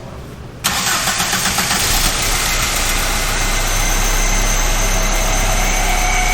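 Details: Mk3 with 2.0 L ABA engine and 5-speed manual, non-running after long storage: brief crank, catches at once, steady even idle; suspected lost fuel prime.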